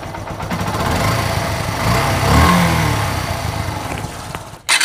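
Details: Motorcycle engine running: a light, uneven tick-tick over the exhaust note, present for several months and causing vibration, from a slack timing chain.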